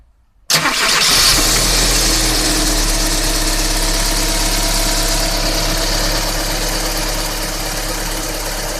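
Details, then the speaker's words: Daewoo Nexia GM 8-valve after replacing worn rockers and dressing the camshaft: clean start into a steady, even idle with only timing belt hum, light whine and injector ticking; no knock, normal running. "Слышно только работу ремня ГРМ, легкое подвывание и форсуночки. Стука нет."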